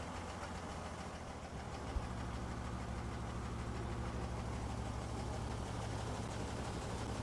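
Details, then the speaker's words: 1963 Ford Econoline pickup during restoration: low uneven idle with an irregular lope about three pulses a second; the carburetor needs adjustment and the fuel filter will be checked. "definitely gonna need some adjustment let's give it a little more fuel to help it start up a little bit quicker"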